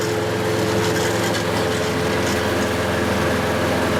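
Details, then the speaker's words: Hayter Harrier 48 460 series mower outside after replacing the drive chain for lost drive: steady, even engine drone at constant speed with no misses, knocks or grinding, and the mower drives; normal running. "So, it's now doing what it's supposed to do."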